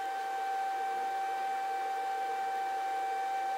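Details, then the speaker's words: Grizzly G0800 wood lathe just unplugged: steady, pure high-pitched whine with no motor rumble keeps going for a while after power off, then stops; cause unknown. "still making noise I don't know why it's still making noise it shouldn't be making noise"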